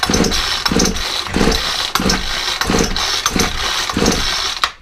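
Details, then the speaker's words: Ryobi four-stroke trimmer, cold: repeated pull-start bursts about a second apart, each pop dying straight away. The owner suspects the carburettor is not priming and plans to swap it for a known-good one; fires but will not keep running. "then definitely fired I heard it pop a bit more fuel I think the issue is is the carburetor is uh not priming that's the issue"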